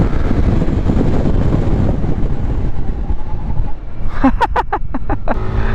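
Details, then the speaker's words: Yamaha NVX 155 V2 ABS scooter, hard braking test after highway riding: road and engine noise then a quick string of about six sharp pulses as the ABS cycles; normal, late ABS intervention. "Aku tak tahu korang dengar atau tak, tapi dapat bunyi tau tadi. Sebab motor ni ada ABS tau. So kalau dia ada bunyi-bunyi macam tu, maksudnya dia punya ABS masuk lambat lah, which is good."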